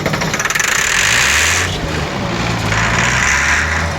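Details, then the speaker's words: Auction-bought 190 XT tractor diesel on a temporary fuel pump, kept running by a helper spraying ether: rough clatter that surges and sags with hissing spray. It runs only on ether; cause suspected, not confirmed. "There you guys go. It will run, be it on ether, but it's definitely sitting there running. It doesn't sound bad."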